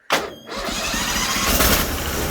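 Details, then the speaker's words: Bolens machine with a very old, probably low battery, after sitting three weeks, throttle on low and choke on: short crank, catches at once and settles into a steady, even run; normal cold start. "oh really that's pretty good for sitting for three weeks let her warm up a little bit longer"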